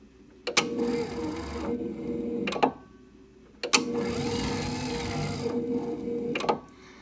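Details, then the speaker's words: TX6000 power trailer dolly motor with parking brake lever up (engaged): sharp click as motor starts, steady hum about two seconds, another click, twice; normal brake release clicking. "When I turn this on, now listen to the sound, you'll hear a definite clicking when the brake releases."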